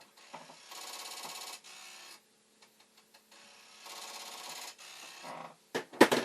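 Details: Commodore 1541 floppy drive, test-drive mechanism on the faulty drive's board, after loosening and tweaking the head stop for alignment: rapid rattling buzz in roughly one-second bursts with pauses as the head bangs its stop on failed reads; no improvement.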